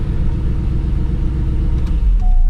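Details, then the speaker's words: 2000 Chevrolet C5 Corvette V8 with newly fitted long-tube headers, started after starter replacement and mid-pipe refit: deep, even rumble with no ticking or puffing; previous exhaust leak no longer heard, normal running. "All right, let's start this up. Starter sounds good. I'm not really hearing that exhaust leak that I used to hear, but"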